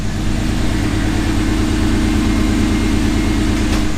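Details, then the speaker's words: 1991 Pontiac Firebird Trans Am after a water pump replacement for overheating and a new battery replacing a defective one: steady, even idle with a smooth low pulse and no ticking, knocking or hunting; the battery is holding charge. "The new battery's in the car. You could hear it running in the background now."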